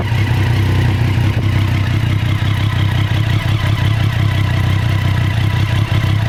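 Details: Street Triple R motorcycle (2014): engine idles with a deep, slightly uneven pulse and occasional brief dips in its beat; rough idle, cause suspected but not confirmed.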